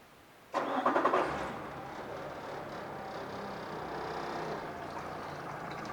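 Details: 2014 Yamaha 70hp outboard, 1,500 hours, after new plugs, impeller, filters, lower unit lube, oil and a cleaned fuel system: cranks and catches at once, then a smooth even idle with no misses or knocks, pumping water well; healthy start.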